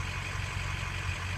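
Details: Ford 6.0 diesel after ICP sensor replacement: steady, even low rumble with no stumble or surge; IPR stabilized in the normal range, a normal warm idle.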